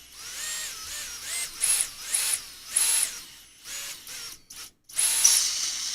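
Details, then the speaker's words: Durable quadcopter micro motor (motor one) spun up for a check. The pitch rises and falls, with gritty rasping bursts that come and go: a worn bearing. It still reaches about 56,000 rpm maximum. "oh nope hear that gross yeah so that's the bearing hear it"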